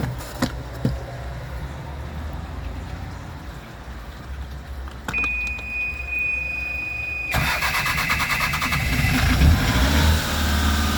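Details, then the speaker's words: Westerbeke 33 marine diesel on a sailboat, first start after hydrolock from water back-flowing through the exhaust and three oil changes: starter cranks, engine catches right away and settles into an even clatter, no knocking; clean, healthy start. "Wow, it did start. It did started right away. So, I'm pretty happy about that."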